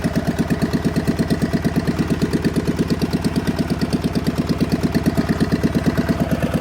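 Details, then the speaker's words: John Deere 400 with Kohler K532 twin, unrun for about a decade, on a makeshift hood-mounted fuel tank after a bad governor; electric fuel pump not working, choke cable freed. A slow, lumpy, even thump of about three pulses a second; the carburetor needs adjustment. "okay transmission's good got to do some adjustments to the carburetor got the choke working got that cable freed up"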